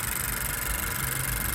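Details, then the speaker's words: 2020 Honda Civic Sport Hatchback, CVT, about 50k miles, at startup idle: high-pressure GDI injectors make a light sewing-machine ticking with a smooth belt hum; no knocks or misses, runs healthy. "you can hear the GDI injectors making their little sewing machine noise high pressure"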